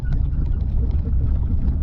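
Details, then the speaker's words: Fiat Panda 4x4 100hp driving a rough, deep-rutted track: deep loud uneven exhaust rumble, owner says it sounds like a fire; exhaust leak, needs new exhaust, noisy rear suspension also noted. "I don't want to rip the exhaust off anymore do I cuz it sounds like a fire"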